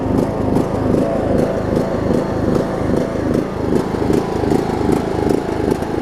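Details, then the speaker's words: John Deere LA105 mower, not run about three years, about 40°F, after tank cleanout and carb cleaning: ragged pulsing single-cylinder running, speed hunting up and down; engine surging, owner suspects gunk left in the tank. "second gasps like crazy though I think there's a still a little bit of gunk and whatnot in the tank that it might have to work out but hey it is running"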